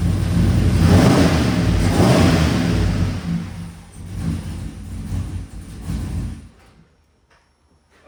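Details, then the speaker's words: Rebuilt truck engine with a stage 3 cam, given a quick rev just after its first start: loud rumbling revs with an uneven, stumbling beat that fades out; it sounds like a miss and it is definitely running very rich, though a true miss is unconfirmed. "Sound like it's missing when I rev it. Definitely rich."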